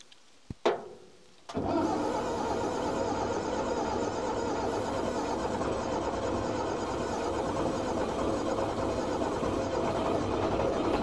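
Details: Old Fiat-Allis bulldozer, about D6 size, six-cylinder diesel, left sitting in the Australian bush for years. After a click, a long, even dull churning with no firing; it cranks but won't start. Bleeding the injector pump is tried next.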